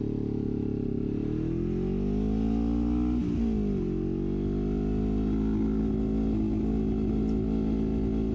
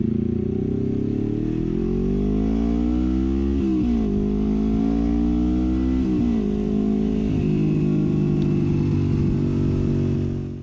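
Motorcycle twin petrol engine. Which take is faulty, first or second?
first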